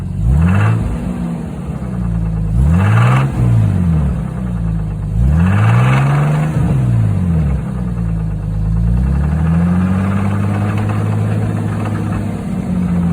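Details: 1989 Jeep Cherokee 4.0 L inline-six, warmed up, oil pressure dropped to about 20 psi, revving: light diesel-like knock; no performance loss, unchanged over 3,000 miles. Owner suspects rod bearings, piston slap or lifters; unconfirmed.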